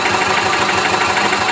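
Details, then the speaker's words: 2011 Club Car DS gas golf cart with a bad governor, backfiring and hitting the rev limiter: on start it throttles up straight into a fast, steady drone instead of just the solenoid click and crank. The misadjusted throttle linkage opens the butterfly valve too early. "when you start the cart the thing you should hear first is the click of the solenoid and the engine crank you should not hear the engine throttle up just like this"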